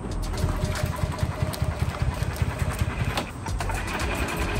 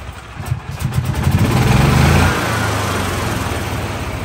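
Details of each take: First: 2013 E-Z-Go (Textron) electric-start gas golf cart, small single-cylinder engine, after fresh clean gas: chugs with uneven, stumbling low pulses instead of a steady beat; running rough, cause not yet known. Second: 2013 E-Z-Go electric-start gas golf cart in neutral, after repairs: engine catches, picks up over two seconds, settles into even idle about four beats a second with no misses; normal idle, though old drive belt still spinning.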